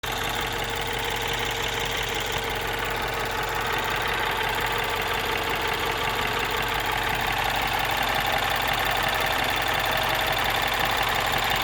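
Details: 2012 MINI Cooper S R56 N18 engine at around 80,000 km: light, even ticking about three per second at idle, cold or warm; BMW confirmed it normal, not the timing chain.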